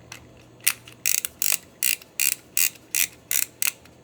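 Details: Reto Ultra Wide & Slim 22 (Sunpet-made 35mm toy camera) film advance wheel during film loading: crisp, even ratchet clicks in short bursts about three times a second; advance mechanism healthy.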